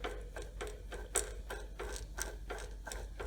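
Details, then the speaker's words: Gear grinding at the knee of a Bridgeport mill while shimming a newly installed Servo 140 power feed: a rhythmic rasping grind over a low motor hum, with the gears meshing too tightly and too little backlash. "so i still hear grinding i'm going to do maybe these are two fifteen thousandths shim we'll do 125 and one fifteen"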